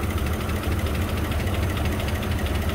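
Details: 2004 Chevy Silverado 5.3 V8, 225,000 miles, towed in after dying while driving, oil like mud, blue smoke, almost no oil pressure: steady rapid tapping over a rough, heavy idle; valvetrain tapping from oil starvation.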